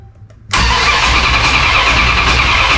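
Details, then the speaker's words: 1969 Dodge Charger V8 during restoration, no fuel and no spark, cranked only to test: loud, steady starter churn turns the engine over evenly without firing; normal cranking. "This is just to see if it will crank."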